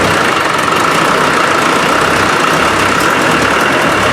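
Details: Land Rover 300Tdi diesel with hard-starting fault, after fitting a new pump: even, steady diesel clatter at idle with no misses, hunting or stumbles; runs smoothly.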